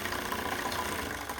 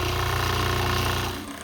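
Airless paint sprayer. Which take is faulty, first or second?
second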